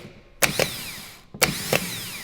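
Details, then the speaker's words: Starter motor from a flood-damaged Aston Martin DBX with a rebuilt, previously seized engine, bench-tested before fitting. Two sharp clacks, each followed by a quick, free high whir. Normal starter motor operation. "It's working. Yes. Start motor's good."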